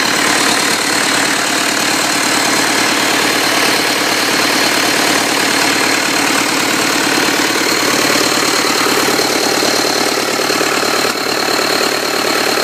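Even, steady diesel clatter at idle with no speed hunting and no odd knocks, a smooth healthy run.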